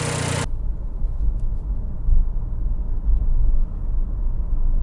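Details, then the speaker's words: Nissan Juke 1.2 DIG-T turbo petrol, first start after timing chain kit replacement: smooth, steady low idle, not rattly or lumpy; took a bit of starting, engine sounds healthy. "Well, took a bit of starting, but she sounds beautiful now. Not rattly, not lumpy, nothing. Smooth as anything."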